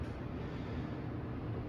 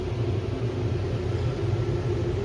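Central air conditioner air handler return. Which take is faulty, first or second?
second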